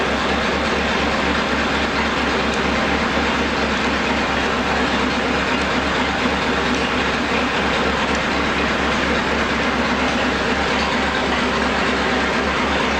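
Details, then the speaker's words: Newly rebuilt 239 Flathead Ford, run-tested on an engine stand at about 1000 rpm with about 60 psi oil pressure: steady, even low chug, no knocks or ticks; normal idle. "it fired up we're sitting here Island uh about a thousand RPM the oil pressure about 60 pounds everything's looking good"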